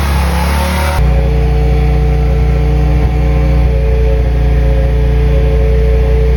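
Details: BMW M3 with V10 swap, new 10-into-1 headers and 5-exit oval 3.5" custom exhaust, no radiator fans yet, warming up: deep loud exhaust roar holding steady after a short revving start, running clean and strong; normal running.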